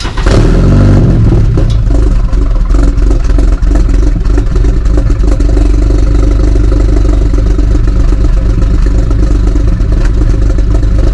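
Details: 2018 BMW 430i Gran Coupe (F36), B48 four-cylinder, modified: cold start, loud deep burble at high cold idle with a choppy, tractor-like exhaust pulse; engine runs evenly, healthy.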